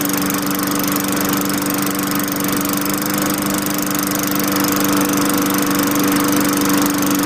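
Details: 2003 Craftsman 22" mower, Tecumseh 4.5 HP engine, after fitting a replacement LEV100-115 carburettor: steady, even buzz at a constant pitch with no misses, surges or knocks; running smooth and healthy. Normal running.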